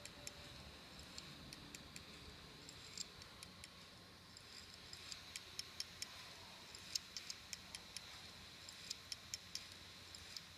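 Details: Samsung ST1000LM024 1TB laptop hard drive from a Samsung laptop: faint sharp ticks repeating irregularly over quiet hiss while powered; damaged, failing drive clicking.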